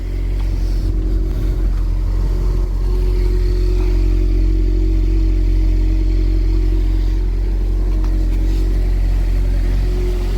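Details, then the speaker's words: 2012 Chevy Equinox/Terrain after engine install, idling after fitting a junkyard exhaust system: steady even low rumble with no puffing or ticking, no exhaust leaks; normal idle. "yep i hear no exhaust leaks so i'm happy"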